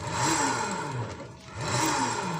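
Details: Honda Beat scooter with loud hum at high rpm and while riding: steady hum with whine rising and falling as the drive turns; water entry rusted the gearbox bearing, worn gearbox bearing.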